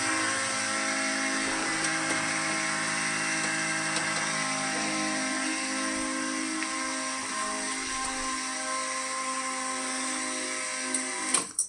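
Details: 1979 Camaro converted from EFI back to a carburetor, key on before starting: steady high whine for about eleven seconds, then cuts off; electric fuel pump priming normally at 7 psi, with no leaks found.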